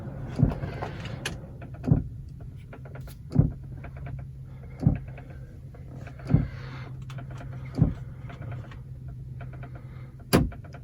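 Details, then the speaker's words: 2004 Lincoln Navigator rear HVAC, changing temperature hot to cold: sharp clicks about every second and a half over a low hum, vibrating through the car as if from the roof; failing rear blend door actuator. "So when I turn it from hot to cold, it vibrates through the whole car. Almost sounds like it's up in the roof."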